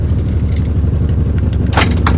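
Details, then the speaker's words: Maruti 800 at idle before silencer repair: harsh loud puffing with uneven low throbbing, raspy bursts and strong vibration felt in the car, noise from underneath; exhaust leak from cracked silencer. "बेहद भयानक! कंपन। यह आवाज पर ध्यान दें। नहीं, नीचे से। आवाज आ रही है।"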